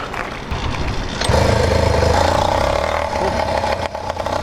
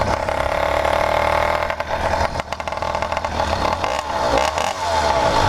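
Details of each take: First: Freshly rebuilt 100cc PK100 two-stroke motorized bicycle engine with new 49mm iron sleeve, cracked MZ65 clone exhaust, cold start without choke: catches first pull, settles into quick rich burbling idle during break-in; running normally, jetting fat. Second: 100cc PK100 motorized bicycle two-stroke just rebuilt with a new iron-sleeved cylinder and started with no choke, running its break-in heat cycles. It burbles unevenly and blubbers at low revs; the owner thinks the mixture is running rich.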